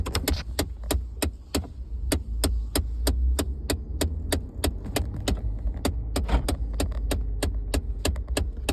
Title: 2014 F-150 ticking noise from dashboard